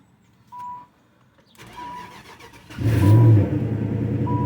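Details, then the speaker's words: Supercharged 2003 Infiniti Q45 Premium, cold start after sitting unstarted for months through the seasons: door chimes, a short crank, catches on the first try and settles into a steady, even idle. "First try. Didn't really have to fight it. Okay, you'd expect that from sitting for a while, right?"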